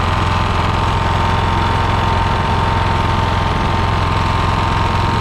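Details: Lawn mower engine after carburetor repair, fuel turned back on and bowl filled: steady low thrum at idle, firing evenly with no stumbles or misses; running normally.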